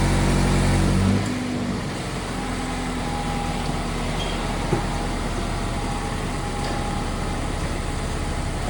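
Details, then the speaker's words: Mazda ND Miata after engine and transmission swap to lower-mileage engine (old one damaged by skipped timing chain): brief crank with fuel priming, then smooth steady idle, no knocks or rattles; healthy. "that's very good news the car has started without an issue had to Prime the fuel a little bit engine sounds good though and it started quickly"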